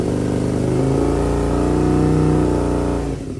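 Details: 2002 Aprilia RSV V-twin barn find after fuel system rebuild, larger battery fitted: throttle blipped and held, deep even bark with steady firing, eases off cleanly; running crisp and healthy, no fuel leaks.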